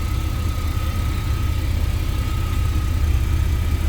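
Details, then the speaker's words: 2000 Chevy Astro with 200,000-plus miles, after clearing codes including a crankshaft position sensor fault, check engine light off, only a transmission code left: low, even idle rumble at steady speed, no misses, stumbles or knocks; normal idle. "So as you can see here, the check engine line is gone, the engine is running. You can see running no problem."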